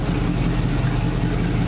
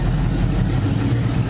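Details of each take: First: Supercharging-project NASCAR (Tide car) V8 with Pro Billet MSD distributor and old MSD 6T boxes/Blaster HV coils, test drive with no hood: loud engine under way misfiring, breaking up and backfiring with sharp exhaust pops. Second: NASCAR V8 after swapping in MSD Blaster 2 coils, timing backed off from 16 to 14 degrees initial: deep, even idle burble with steady firing, no stumbles or pops; now rock steady.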